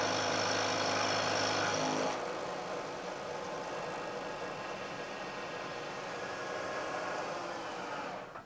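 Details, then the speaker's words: Milling machine cutting a thin part clamped in the vise with damping plates, same depth as the previous chattering cut: loud first seconds then a quiet, even hiss without ringing toward the part's end; smooth, well-damped cut with better finish. "I'm taking a cut this time of roughly equal depth to the cut I took before and you'll hear that there's a very big difference in the noise produced especially as the cutter gets out towards the end of the part"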